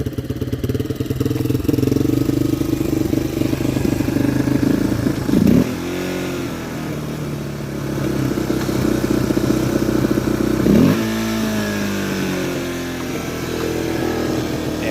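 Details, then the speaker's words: Yamaha Warrior ATV sat four years, first start with new carburetor, battery, fuel and air filters; on full choke revs toward redline unevenly, stumbling and dropping off, won't run with choke off; owner suspects carb sticking; rough running. "a full choke it just wants to rev to the moon so she's running just real shitty as i expected and sat for four years"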